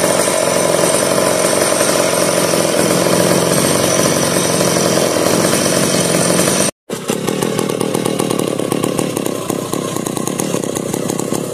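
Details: 1990s McCulloch Pro Mac 700 chainsaw, sitting seven years: loud raspy two-stroke buzz running steadily, a brief cutout, then a rougher burbling idle. Old saw running again after storage.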